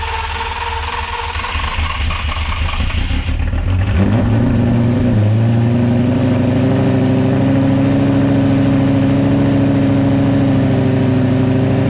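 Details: 2004 Lamborghini Gallardo V10, first start after installing test pipes and a Supersport X-pipe exhaust: starter churns a few seconds, engine fires, rises and settles into a smooth, loud, steady idle; normal.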